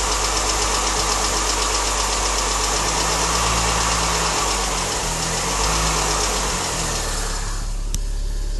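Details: Mini Cooper S petrol engine idling evenly with a steady, light, tappety tick about four times a second; the owner places it around the chain area, heard from inside the car with the window open; cause unknown.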